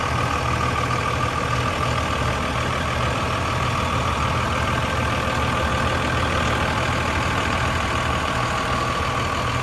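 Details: 2002 Dodge Ram 2500 4x4 with 5.9 Cummins straight-six diesel, six-speed manual, about 113k miles: even, gruff diesel clatter at a steady idle with no misses, knocks or hunting; a healthy idle.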